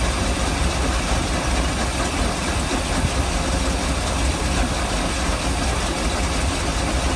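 Deep V8 idle with a heavy, slightly lumpy low rumble that never settles into an even beat; rough idle, cause unknown.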